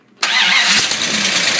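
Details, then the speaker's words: 1971 Dodge Challenger Pace Car with 833 overdrive manual, newly converted to EZ-EFI self-tuning fuel injection, started stone cold by shorting the starter solenoid from outside, out of gear: catches at once into a fast, even cold idle, no stumble; normal start. "I'm just gonna short the starter solenoid to start it should fire right up"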